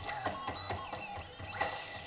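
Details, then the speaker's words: Single brushless motor driven by two ESCs wired in parallel, after swapping phases on one ESC: jerky clicking bursts with shrill whistling, motor louder and twitching instead of rotating, both ESCs reaching 60°C; unsynchronised controllers fighting each other. "the motor got much louder than before and well i'm kinda scared of what i will do right now"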